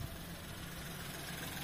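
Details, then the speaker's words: Nissan Pixo/Micra or Suzuki Alto small engine idling after throttle body cleaning to cure unstable idle, with less vibration than before: low, steady hum with an even beat, no stumble or shake; normal idle. "pour moi c'est bon les amis pour moi en fait c'était ça c'était ça qu'il fallait nettoyer"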